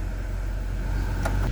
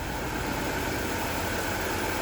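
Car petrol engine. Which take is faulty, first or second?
second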